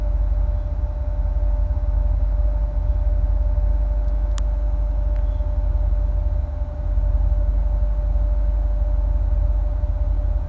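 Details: 2008 Corvette C6, automatic, tuned, with cold air intake, long tube headers and no cats, plugs recently changed: deep lumpy idle with uneven pulses and a brief mid dip; rough idle with hunting rpm, owner links it to fans kicking on, cause unknown.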